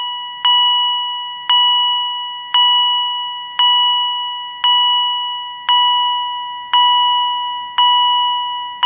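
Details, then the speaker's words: Second Edwards EST 757-5A-CS Integrity chime strobe, mounting bracket left on; clean high chime about once a second, evenly spaced, smooth fade, no rasp; higher pitched and healthier than the other unit; normal. "So, in addition to testing this second Edwards Integrity Chime Strobe, it has a little bit of a higher pitch."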